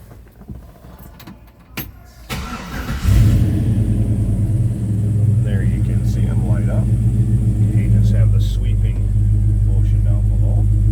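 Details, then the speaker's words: 1970 Chevrolet C10 with 5.3L LS V8: catches after a few cranks and settles into a steady, even low rumble, smooth idle, heard from behind the truck; good-sounding engine, normal idle. "Good sounding 5.3 underneath the hood. Nice little rumble to it."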